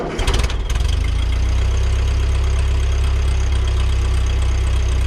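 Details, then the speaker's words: 1940 Ford 9N tractor four-cylinder after rebuild (rod caps, timing and bearings redone): quick start then steady, even low idle with no knocks or misses; runs really good. "Fighting getting it together, but we got it together, and it runs really good."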